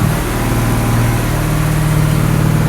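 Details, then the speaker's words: Rebuilt ute just after its first start: the engine holds a steady, noticeably fast idle with no drop or settle. High idle caused by a misadjusted throttle linkage holding it open; adjusting the linkage brings it down to a good idle. "It's idling really high though, but it's running. It's glorious. What did you do right? We've got some issue with high idle, but bring her down. Yeah, just the linkage needs adjustment."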